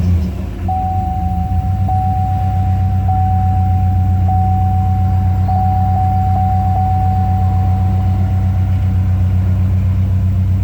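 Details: GMC Envoy Denali that would run about 45 minutes then die and not restart for 24 hours, after fuse box replacement and fixing a relay with no ground: engine fires and settles into a smooth, even low idle with a steady chime; normal start and idle.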